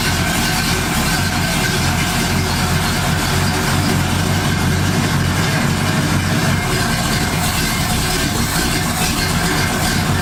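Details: 1978 Ford Fairmont Futura inline six after GT40P head swap, Holley two-barrel carburetor, just started: steady, even idle with a smooth low rumble and no misses, knocks or ticks; vacuum reads in the green, electric choke may need adjusting.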